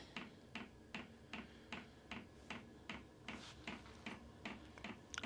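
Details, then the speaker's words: Gypsy wagon heater warming up on glow plug: sharp, even fuel dosing pump clicks about two and a half per second over a quiet hum, heard from inside; normal start-up clicking. "yeah it's warming up can really hear hear that clicking"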